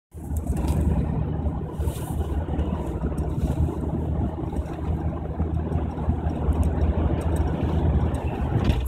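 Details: 1998 Jimny 1.3 idling out of gear with no accelerator input: a low, lumpy idle that wavers and dips now and then instead of holding steady. It runs rough and is prone to stalling, and the cause is not yet found.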